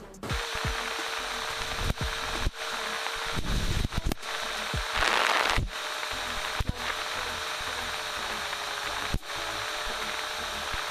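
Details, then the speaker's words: Car after replacing a worn, noisy AC compressor clutch and shimming the plate so it doesn't grab the pulley: steady running with a faint mid tone dropping out and returning as AC cycles, no screech; compressor clutch normal. "We got the AC button on. If you turn that off, you might hear the engine change pitch."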